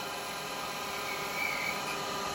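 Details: Woodturning a resin Christmas bell with a carbide chisel on the lathe: a steady hissing scrape with no chatter rhythm. The carbide tip is scraping on top rather than cutting cleanly.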